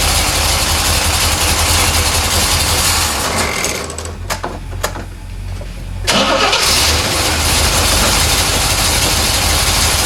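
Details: 1970 Chevrolet Corvette C3 with old fuel in tank, fuel pressure around 7–8 psi: cranks, catches, dips briefly, then steady even idle with smooth rumble; burning smells noted; normal idle.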